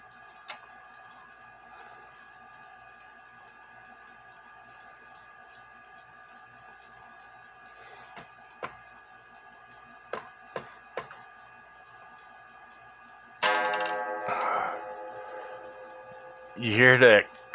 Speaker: there's a lot going on with it but the rubber sorry the leather piece fell off and I'm gonna